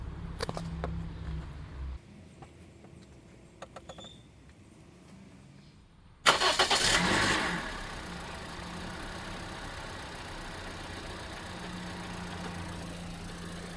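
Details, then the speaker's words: 2012 Scion iQ starting after a Type 51 battery replacement (old battery died over a cold winter), mic left near the engine: brief crank, quick catch, then a steady, even idle with no stumble, a normal start. "Yay, it started. As expected, of course."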